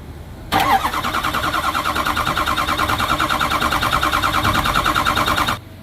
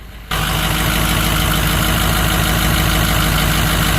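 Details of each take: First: 2006 Ford 6.0 Powerstroke diesel that ran rough and stalled after fueling, starter jumped via wire: about five seconds of cranking at roughly three even beats a second; even compression, so misfire not mechanical. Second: 2006 Ford 6.0L Powerstroke diesel outside after refuelling: heavy clatter with uneven lumpy beat as rpm flickers and dips; gauge shows zero fuel pressure, so failed fuel lift pump suspected pending a power check, engine sucking fuel from tank.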